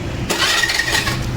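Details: Honda Activa or Hero scooter (Maestro, Duet, Pleasure class): on pressing the electric starter a harsh grinding whir lasts under a second before the engine catches; bent crankshaft. Clutch work was recently done elsewhere and it lacks pickup at full throttle.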